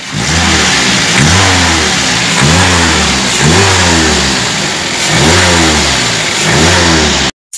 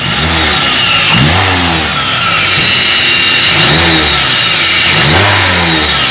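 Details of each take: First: Toyota Avanza revved after replacing the upper idler bearing to cure a harsh whine on acceleration: the engine climbs and falls smoothly with no whine, which is now gone. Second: Toyota Avanza with a rough whining engine complaint on acceleration. As the engine revs, a thin high whine rises with speed, loudest at the upper idler bearing, which was then replaced. Idler pulley bearing whine.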